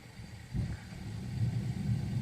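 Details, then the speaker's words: Gas (oil-burner) heater that had stopped working: emergency on/off switch turned off about a minute, then back on; burner relights with a brief surge, then a low steady rumble settling into an even roar, running normally. "And then you can hear all that noise. Then it came back on."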